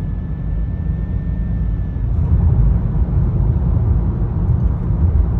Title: 2013 Honda Accord Sport with a CVT transmission and it makes a whining noise every time I accelerate